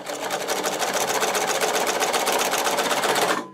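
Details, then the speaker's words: Podolsk sewing machine with a servo motor, sewing thick leather with thick shoe thread at speed; fast, even stitching clatter held steady, then a clean stop, no knocks; normal sewing at speed. "Теперь давайте попробуем сделать это на скорости."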